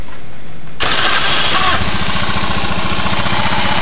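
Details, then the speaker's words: Honda Vario 110 FI scooter that runs rough and stalls when hot, started after CVT check: harsh, uneven low thumping, suspected engine problem, found running without engine oil. "Nah, saya curiga ini di bagian mesin ya problemnya karena suaranya kasar sekali ya."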